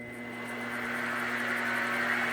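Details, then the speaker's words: Modified Grizzly G0704 mill with gear-driven head: steady high gear whine over a low hum, growing louder as the spindle reaches speed, much louder than a belt-drive mill; normal gear-drive spindle whine. "I don't know if how well you can hear that but the uh the grizzly is much louder there's a lot more a lot more noise with the uh gear Arrangement"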